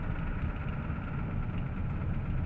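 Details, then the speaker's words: Used '93 IDIT diesel engine, believed pretty worn out, swapped into a '93 truck and driven about 100 miles, 30 of them towing: light rapid ticking over the idle clatter, worst at idle. Owner suspects a lifter; pushrods and rockers checked fine and oiled. Unconfirmed. "okay man especially at idle it sounds horrible not sure whether that's a hope I'm thinking it might be a lifter or something but I'm not sure why"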